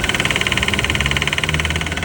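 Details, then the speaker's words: AC compressor knocking at engine idle whenever air conditioning is switched on: fast, even knock about thirteen a second; pistons and cylinder liners show excessive play from natural wear, worse at higher compressor speed. "Quando liga o compressor do ar condicionado, seu carro faz esse barulho aqui."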